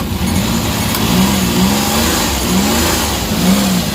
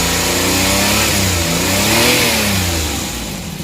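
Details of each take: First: Suzuki DA64/DA63 mini van K6A engine after wiring harness repair, air conditioning on: rpm rises slowly and evenly with idle-up, no shudder or miss; normal running. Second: Suzuki DA64/DA63 mini van K6A engine with vibration issue: revs climb and sag unevenly instead of holding; throttle position sensor voltage keeps dropping out, should be steady about 1 volt.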